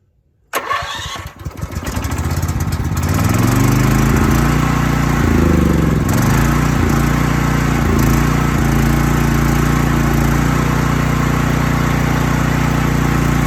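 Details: Troy-Bilt 8000 W generator, ice cold and unused since summer, started on choke with fuel on: brief cranking, catches at once and settles within seconds into a steady even run; healthy cold start.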